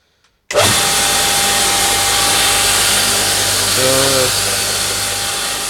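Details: Homemade belt grinder starting up. Steady, even whir with a smooth belt hiss and a constant motor hum, with no knocks or rubbing; it runs normally.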